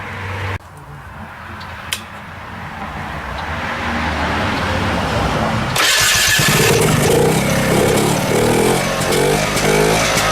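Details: 1972 Rotax 340 two-stroke in a Tomberlin CrossFire go-kart with belt and new chain fitted, kart raised so the tires spin. It fires after a pull and revs climb smoothly into a steady, busy buzz turning the wheels; healthy.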